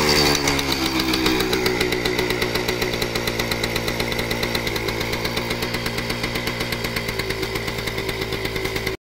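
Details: Kawasaki KV75 running after sitting many years and fixing a blown head gasket: the small single putters with quick, even firing pulses at a steady pace until shut off. It starts easily and runs great.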